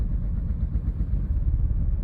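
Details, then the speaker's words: 2008 Audi A4 B7 2.0T with a rough idle and stalling: low, lumpy, uneven idle with wavering loudness, shaking. The cause is unresolved despite many parts replaced. "idle isn't bouncing right now, but if you can hear and tell, the car is"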